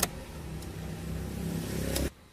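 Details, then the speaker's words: Suzuki Karimun kotak, carburetor recently disassembled and idle/air settings readjusted: quiet, even idle holding steady at 800 rpm with headlights on, no hunting or surging; normal idle after adjustment. "Nah sudah masih stabil di angka 800 Bro 800 Ia memang untuk standar stasioner RPM buat Suzuki Karimun kotak ada yang 800 ada yang 700"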